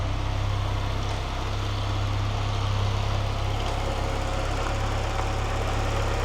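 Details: Citroën XM 2.0 turbo (TCT), over 25 years old, idling after an engine service including a new timing belt and water pump: a steady, even low idle with a smooth, regular beat and no knocks or ticks. Running healthy.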